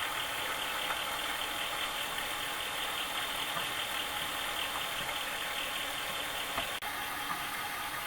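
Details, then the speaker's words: Commodore 8050 dual disk drive, recovered from trash and cleaned, copying files with both heads moving: steady hissy whir with a faint uneven rasp, possibly from the spindle bearings, improving; owner hopes they are self-cleaning. "the noise really isn't that bad and it's getting much better I think the spindle bearings are self-cleaning right now or at least I hope so"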